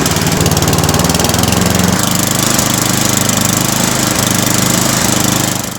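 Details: Toro Power Max 826 snowblower, unchoked warm start in a warm garage before an oil change, with fuel stabilizer and octane booster added: engine fires and settles into a steady, even single-cylinder chug with no misses or knocks; runs normally.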